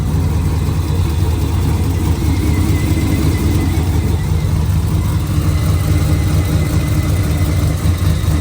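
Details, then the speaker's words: Pontiac G8 V8 first start after engine rebuild, some oil burning off: deep even burble holding a steady idle with no knocks or misses; normal idle. "All right, this motherfucker running though. I ain't gonna lie."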